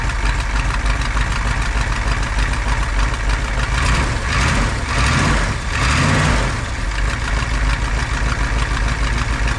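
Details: 1985 Dodge Ram W150 with 360ci V8, long sitting project, after new fuel filter hoses: steady, deep idle with a brief rise in revs midway, even and without misses; engine running healthy.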